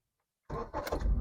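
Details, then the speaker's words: 2005 Honda Accord coupe abandoned in Arizona heat, nearly out of fuel, after adding coolant: a few quick cranking pulses catch and build into a steady rumble; starts cleanly. "oh she turned over she turned over"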